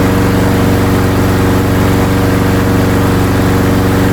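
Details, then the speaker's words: Briggs & Stratton-powered Craftsman lawnmower after repair, started from non-running: steady, even putter with no misses, knocks or hunting; small engine running smoothly and healthy. "Beautiful. It is working perfect. Yeeha. That is great."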